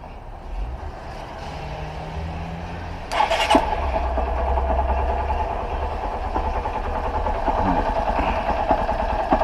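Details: 2013/2014 Honda Fan 125 (modified, Titan 160 parts) after cam chain replacement for a metal-on-metal noise: starts and settles into a fairly steady idle with no knocking or rattling from the top end; normal idle.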